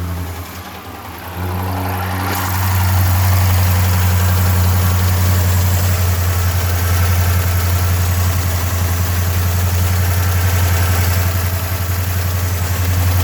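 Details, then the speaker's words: Dodge Charger HEMI: after cold start settles, steady low idle carries a dull, regular knock deep in the block, not extremely loud; suspected bottom-end rod bearing, not MDS solenoids; oil pan removal planned. "when you rev this thing up you can hear that bottom in not extremely loud"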